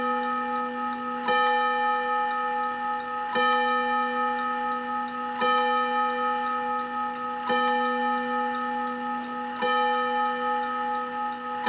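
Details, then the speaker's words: 1948 Seth Thomas Westminster chime tambour mantel clock: crisp tick about every two seconds under a lingering, clear ringing chime; healthy clock in good condition. "I love that Seth Thomas chime sounds like Big Ben doesn't"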